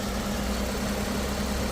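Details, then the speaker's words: 2013 Lexus ES350 (Toyota) idling with the AC on after its automatic alternator pulley was replaced with a new one; the pulley had caused a loud noise with the AC on. Now an even, steady idle and low hum with no squeal or rattle; normal. "अभी देखो आप लोग देख सकते हैं कोई आवाज नहीं है। एसी चालू है। एसी चालू है। कोई आवाज नहीं है।"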